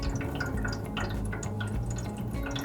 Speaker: hört sich so an als würde das wasser in den heizkörper plätschern ursache ist dabei häufig luft im system oder ein zu niedriger wasserdruck